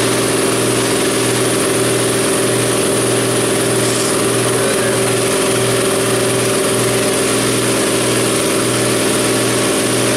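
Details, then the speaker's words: New Ingersoll Rand 20-gallon Garage Mate air compressor filling from 0 PSI, cutting off around 135 PSI after 4 minutes 2 seconds, oil level good, recorded in an echoey garage; quiet, steady pump drone with a soft low pulse and no rattles. "And it sounds just like it, but quieter. It's really nice."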